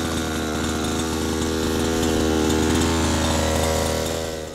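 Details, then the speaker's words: Gas RC helicopter engine at the flying field, low-speed needle turned in about a sixteenth of a turn from the good setting: steady idle slowly picking up and holding high; subtle sign of slightly lean low-speed mixture. "very subtle difference between being just right and being a little lean on the low speed screw"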